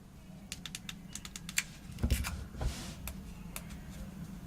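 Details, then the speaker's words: iPhone 6s Plus after a screen and digitizer replacement: crisp, separate button clicks at roughly two a second, each snapping cleanly, meaning all buttons work normally. "The button works. You guys can hear that. All the buttons work here."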